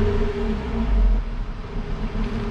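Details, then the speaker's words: Jeep JL Wrangler Rubicon free-revved after a cold start. A low, mild exhaust note swells on a quick blip, then settles back to idle, clean and even with no misses; the owner calls it nothing to write home about. "not exactly something to write home about"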